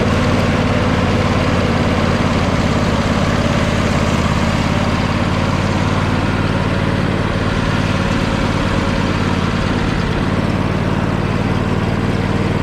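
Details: John Deere L120 lawn tractor after mouse nest cleared from under air filter cover, not yet warmed up after sitting: steady even drone at constant speed, normal idle; blades won't engage and initially wouldn't move.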